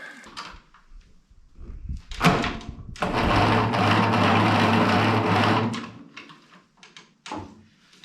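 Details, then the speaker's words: Ferguson 20 petrol/TVO tractor that sat in a shed about 10–15 years, first crank attempt with 12 V at coil: starter turns over slowly and laboriously for about three seconds; slow cranking blamed on dirty connections needing cleaning. "we're going to have to do some more cleaning connections uh it's a bit sluggish"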